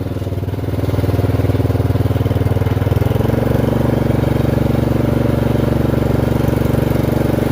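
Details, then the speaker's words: Free Murray 30-inch riding mower, single-cylinder, while driving: steady, even chug with no knocks or misses; normal running. "There we go. We're moving. Sounds good, actually."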